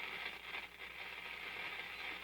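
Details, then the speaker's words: Antique Philco 46-480 AM/FM/shortwave radio on FM without an antenna: steady hiss and crackle, no station received; needs an outside antenna. "Just picking up noise."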